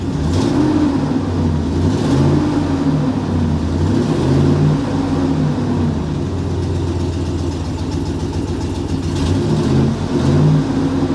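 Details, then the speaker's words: 2018 Ford F150 with 6.0 V8, exhaust needing patching: idles evenly and picks up smoothly through several rev blips with no knocks or rattles; normal revving. "Guys, this one sounds good. I like this one. I do. I like this one."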